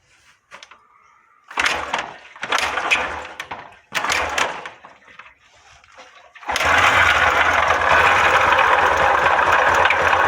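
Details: Yamaha 125 single (YBR/XTZ 125): after some handling it fires up with a loud, clattery mechanical racket over the idle; play found in the camshaft bearing.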